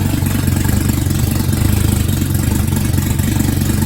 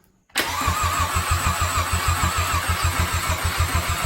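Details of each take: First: Jetta rebuilt engine on its first start after reassembly, exhaust manifold not connected and no coolant yet: a loud, raw but even, throaty idle with no knocks or misfires; it runs smooth. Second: VW Jetta, first start after head rebuild, fresh oil, exhaust manifold still off: loud, rhythmic starter cranking at about three and a half turns a second with a few puffs but no catch; cranks but won't start yet.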